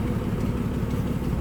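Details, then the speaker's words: 1946 Plymouth Special De Luxe sedan, inline six, already warm from indoor storage, unchoked: low, smooth, even idle with no misses, knocks or ticks; normal idle. "Slip around to the back in here, how smooth that inline 6 runs."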